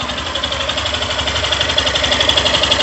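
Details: 2022 Yamaha Fazer 150 at about 1,082 km, phone held near the engine at idle: a steady light tick about three per second. The owner is unsure whether it is the valves; the bike gets very hot.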